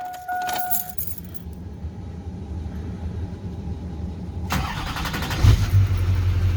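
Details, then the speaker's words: 2001 LB7 Duramax after new belt tensioner and idler pulleys installed: diesel cranks, catches and settles with no squeal or chirp, quiet, pressure holding; belt drive normal after repair. "Nice and quiet, no more squeaking. Pressure and everything seems to be holding just fine."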